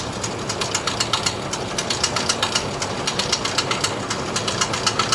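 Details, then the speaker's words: Display chiller compressor keeps making a sharp, light ticking about four times a second after switching off; the contactor releases and the fan runs, yet the faulty compressor knocks during off time with no voltage measured. "Compressor of கண்டிஷனில் இருக்குது. ஆனால் sound வருது."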